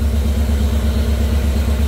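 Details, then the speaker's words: Jeep CJ5 with Holley EFI, engine warm at 193°F before break-in: steady even low rumble, regular beat, no knocks or ticks; fan one on, fan two not yet, timing and voltage good, oil pressure about 45 psi. "fan two hasn't kicked on yet but the timing looks good voltage is good temperature is good"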